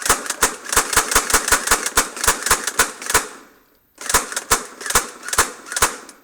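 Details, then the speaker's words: TM AA12 airsoft shotgun on a 1600 mAh 8.4 V battery: sharp semi-auto cracks about four a second, then a pause and slower, wider-spaced shots; gearbox cycling sluggishly as the battery dies. "I think the battery's dying. Battery's dead."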